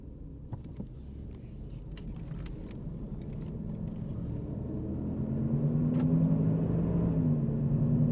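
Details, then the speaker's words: 2007 Jeep Grand Cherokee 4.7L on a road drive: low droning hum builds steadily with speed and swells on a swerve. Worn driver's front wheel bearing. "battery holy cow I hope you guys can hear that let's do a little swerve here wow it is definitely the driver's front wheel [Music] bearing"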